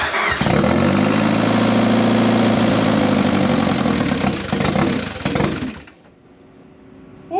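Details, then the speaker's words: Turbocharged project car first started after almost 10 years, with straight header exhaust, 1000cc injectors and no mass airflow sensor fitted: loud raw exhaust catches, holds high rpm, then sags and stalls. Owner suspects the missing MAF sensor. "anytime you started it it would start up it would rev up and it would hold idle for a little while like up in the high RPMs and then it would just slowly dissipate down and then it would just fall on its face"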